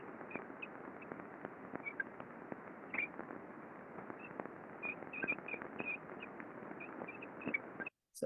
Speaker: squeaky um some impacting going on all evidence of lack of lubricate lubrication some contamination in here as well so this belt sheave is starting to wear out